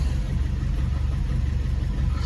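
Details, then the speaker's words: Red Fiat 500, cold idle with low, lumpy, uneven pulse, no dashboard errors; ECU shows after-cat lambda in open loop and pre-cat system rich, after-cat sensor thought faulty; rough idle, cause unconfirmed. "I don't know if you can hear it. Let me stick the camera out the window. If you can hear the lumpiness of that."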